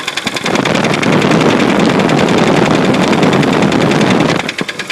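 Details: 1966 Studebaker engine running: hard, rapid knocking about three or four times a second, loud and sharp, over the engine; a clear internal engine knock.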